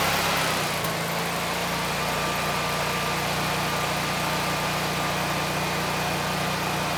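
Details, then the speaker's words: Generac 20kW standby generator with replacement GTH-999 999cc engine, load connected: steady, even drone with no knocks, misses or surging; running smoothly under load, making power. "So hopefully this engine starts. It sounds good and we're still making power."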